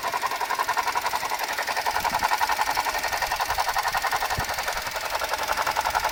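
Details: Suzuki Jimny JB64 at idle: steady mid-pitched whirring rattle pulsing about three per second over a quiet engine, from a faulty alternator, replaced under warranty with a new alternator.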